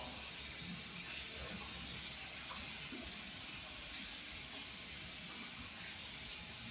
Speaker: all right still here a little here so i'm going to shut it down for a second and just tweet it one more time and get those little bubbles that are at the top out you can actually hear them come out